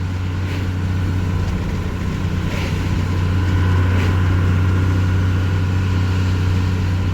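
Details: Second-gen diesel truck with an NV4500 gearbox and a fifth-gear issue, under light throttle, not floored. Deep, steady drone rising a little with load, no knocks or misses; engine sounds really good.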